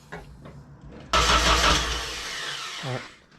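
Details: Nissan 240SX first start after an engine rebuild (timing chain snapped, pistons hit valves), oil primed and plugs refitted: a few cranks, then it catches sharply and runs roughly on its own. Engine starts and runs.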